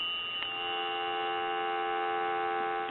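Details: Automatic Electric three-slot payphone after repair and conversion, final checkout: a steady, even dual-pitched hum holds unbroken for three seconds, a clean, normal dial tone on the line.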